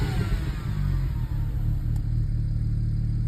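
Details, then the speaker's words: BMW 335 N54 on MHD tune, after clearing faults from a short to ground and dead battery, exhaust valves opened; deep, steady exhaust rumble with even throb, no knocks or misses, engine running healthy. "She sounds good too. She's on the MHD1. And I open the valves."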